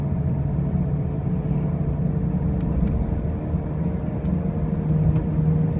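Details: 2005 Pontiac Grand Prix with brand new wheel bearings and new tires: a heavy, low droning rumble runs steadily under the road noise while driving; a loud running-gear noise, cause not pinned down.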